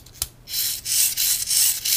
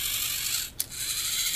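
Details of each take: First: VEX 393 high-strength 2-wire motor, opened, gear train turned by hand at the output shaft. Dry, raspy crackle in bursts; the gears sound rough, cause not confirmed. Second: VEX 393 high-strength 2-wire motor, gear train turned by hand. Fine, high-pitched whirring of small gears, smooth and free with no grinding or skipping; the gears are good.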